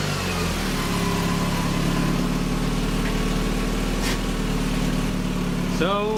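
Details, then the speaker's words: Mazda Miata engine in a kart after replacing a plug wire to the coil: even steady idle with smooth firing beat and a clean rev blip near the end; running on all cylinders again. "seems to be running fine now and my tripod is still broke I keep"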